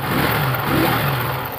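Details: TVS XL100 Heavy Duty BS6 fuel-injected moped that had been stalling after riding a short distance, started for a check: small engine catches and holds a fairly steady, even hum with a light rev; running normally for now.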